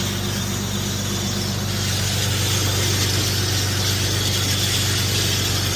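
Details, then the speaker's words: Infiniti (VQ37-family engine with oil catch cans) after replacing PCV valves and vacuum hoses: loud, steady ticking about four per second over a smooth idle; owner suspects a noisy PCV valve; loud ticking at idle. "Alright, so I don't know if you guys can hear that, but it's extremely loud."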